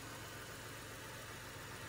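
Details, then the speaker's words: Flooded drive-by-wire Buick Rendezvous heard from inside: steady, even idle with a smooth low hum, no knocks or misses; earlier noise thought to be ugly piston slap, now normal idle. "seems like it's running really well actually oh that sounds perfect yeah"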